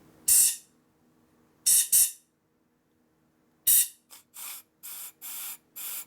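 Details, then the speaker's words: Harley Twin Cam 110/117ci flywheel rebuild: an air line pushed into the crankpin oil passage with the other end blocked. Several sharp bursts of hiss blow through the rod, so the passage is open. "Hear it blowing through the rod? You can hear it. So we have air through there."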